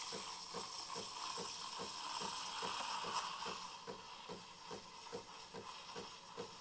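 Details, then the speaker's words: Breville Barista Pro steaming milk with its thermocoil and four-hole steam tip: steady steam hiss with soft pump pulsing about twice a second; strong, normal steam. "But for about the Barista Express, maybe 5 to 8 seconds, you should hear that paper tear sound. This one I'd probably do 4 or 5."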